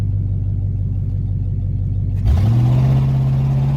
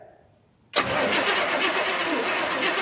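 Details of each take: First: 1969 Buick Wildcat, 430 cu in big-block V8, sat 21 years, muffler cut off, pulling in low gear: deep booming V8 roar rising and holding, then dropping away, very loud and raw. Loud exhaust with muffler removed. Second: 1969 Buick Wildcat, 430 cu in big-block V8 (rated 360 hp, 475 lb-ft), cranking after sitting 21 years; starter spins the engine steadily with an even rhythmic chug, compression sounds good, not locked up: normal cranking.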